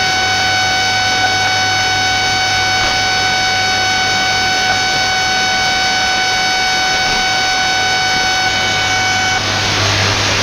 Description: The noise spans from about 15mhz right up to 21mhz, then just buzzzzz :(